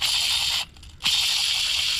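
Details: Mitsubishi Evo X clutch job, old throwout bearing removed and spun by hand: dry gritty high-pitched rasp, pausing and rattling again; bearing worn out, replaced with new OEM unit.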